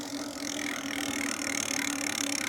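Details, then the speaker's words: Lectric XP 4.0 eBike lifted off ground, hub motor keeps a steady whirring hum after light throttle is released, still getting power; linked to an E08 throttle/controller error, cause suspected, not confirmed. "can hear it still humming. Still getting power, shouldn't be."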